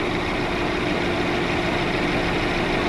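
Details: Mercedes-Benz W212 at idle after replacing two ignition coils: rough lumpy idle shaking the whole car, engine light flashing, misfire codes still on cylinders 1 and 3; engine control unit suspected, not confirmed.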